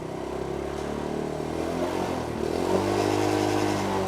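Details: Motorcycle engine running smoothly with steady, slightly rising revs, no misfire, rattle or grinding, after battery refill and recharge; charging output rises from 12.9 to about 13 V, normal again after worn charging-system brushes found as the cause of the dead electrics.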